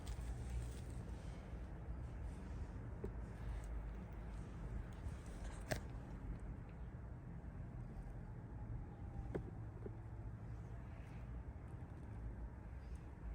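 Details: 2008 Honda CR-V after a catalytic converter and O2 sensor replacement, with the P0420 code cleared: a low, quiet, even rumble with no puffing or ticking. There is no exhaust leak and it runs smooth.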